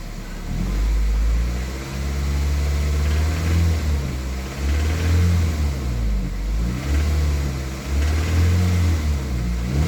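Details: Toyota MR2 Mk3 Roadster, laid up for a long time, now on fresh fuel and a new battery. A deep engine note with repeated blips and a faint rattle in the drone at mid revs, 2200–2500rpm. Cause not identified; part 1.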